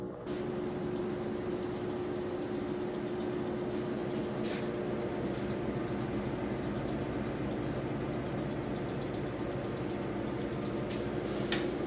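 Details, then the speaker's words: GE washer GTW335ASN0WW that was not spinning and left clothes soaking wet. After the frayed drive belt was trimmed and refitted, the basket spins with a low, steady, even hum and no slapping or squeal. Normal spin restored; a new belt is still to be ordered. "really going now so that solved no problem"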